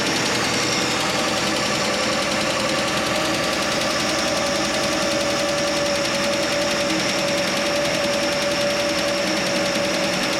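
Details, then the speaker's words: Straight-six Chevy Nova idling after exhaust manifold donut and exhaust leak work, cold garage: light, quick, even ticking keeps time with the engine; owner suspects a lifter tick, later traced to one loose rocker arm. "There's still a tick there. It could be a lifter tick now. It could have been that the whole time."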